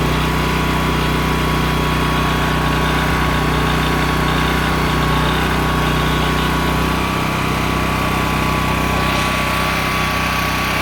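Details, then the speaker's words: Honda EM6500SX electric-start generator after carburetor cleaning and oil change, loaded with a heat gun through an amp/watt meter. A steady drone at constant pitch holding firm with no misses or surging. It runs normally under load. "there it is sorry about the noise but obviously it's loud it's a generator"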